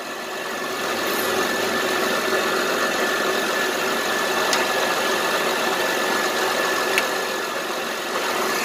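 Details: 2007 Honda Pilot 4x4 idling after alternator install, charging at 14.35-14.36 V: steady, even idle with a faint regular tick and no misses or rattles; engine and charging system fine.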